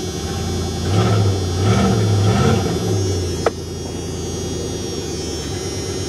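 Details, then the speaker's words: 1999 Dodge Ram 2500 van started and idling: loud, rough idle with low rumble and faint puffing from a small exhaust leak. "let's start her up it's going to be loud like i said a little bit of an exhaust leak which might be my fault whatever the case yeah if you could hear that"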